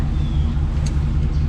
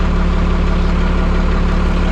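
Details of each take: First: 1991 Freightliner FL70 tow truck, believed 5.9 12-valve Cummins diesel, sat about 15–20 years; cranking on jump starter with van running: low labored churn, starter barely turns it, never catches; starter not locked, batteries too weak, need new ones. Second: 1991 Freightliner FL70 tow truck, believed 5.9 12-valve Cummins diesel, sat about 15–20 years; started right up: steady low diesel idle, even clatter about three beats a second, no knocks or misses, good oil pressure; normal idle.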